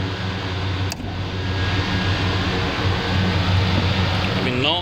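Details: Air conditioner belt-driven blower after belt tension was adjusted and check nuts tightened: steady low airflow roar with an even hum, no belt squeal or knocking; blower running normally.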